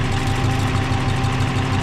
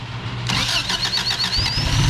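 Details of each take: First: Subaru BRAT replacement engine idling after the engine swap: a steady, even idle with a smooth low pulse, no smoke, and no rattle, tapping or rod knock; healthy. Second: Subaru BRAT after an engine swap with a distributor fitted starts and runs loud and rough with a loose, uneven clatter. Owner attributes it to rubber hitting the frame cross member each time it passes an exploded CV joint.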